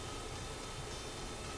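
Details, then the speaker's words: Viking console stereo, Garrard 121 MKII turntable: steady low train-like rumble with hiss, platter not turning, speed control stuck, no motor drive; suspected broken internal belt flopping around, unconfirmed. "I believe there's a belt inside this turntable and that could be the sound of the broken belt flipping around"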